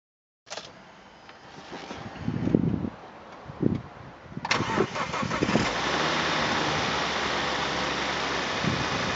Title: '05 - Volvo V70 - 2.4 170HP - Knocking Sound